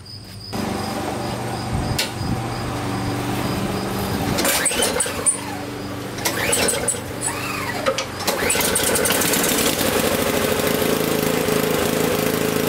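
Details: Honda snowblower, carburetor gum cleaned without removal, started with fuel on and choke out: small engine fires almost at once and holds a steady, even buzz with no stumbling.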